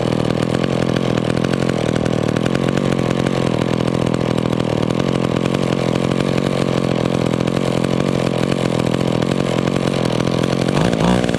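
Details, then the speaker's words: McCulloch Pro Mac 10-10 vintage chainsaw, warmed up: holds a fast steady idle even with the idle mixture screw turned fully in; owner suspects a small air leak from worn crank seals, not yet replaced. "okay see that on this one guys this saw probably has a small air leak because i turned that idle mixture all the way in and it still still wanted to idle so it probably has some crank seals going out in it"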